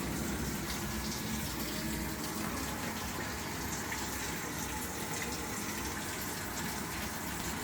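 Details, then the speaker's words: Samsung top-loader washing machine that was not filling with water: with the door closed it proceeds, giving a steady even rush of water into the drum with no buzzing valve. The fill is now normal. "but if I close the door it will proceed it will proceed the feeling of the water"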